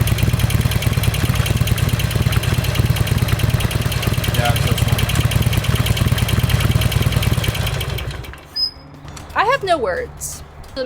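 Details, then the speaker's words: 2007 Harley-Davidson Sportster after replacing the rocker box gaskets: lumpy idle with a fast, regular tick of about three per second from the top end; suspected valve ticking rather than pushrods, not confirmed. "No, that's valve noise cuz it's on this side. It's the valves, not the push valve ticking."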